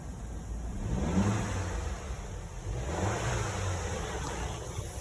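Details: 2012 Audi Q5 petrol after a misfire repair replacing the spark plugs and ignition coil: revs up and settles smoothly with an even steady hum, rpm normal, no stumble or tick, normal running engine.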